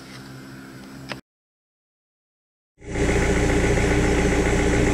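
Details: Rover 75 CDT diesel after fuel system and filter service, in park: after a pause it fires and holds a steady even idle of about 220 pulses a minute, no stumbling. Normal diesel idle.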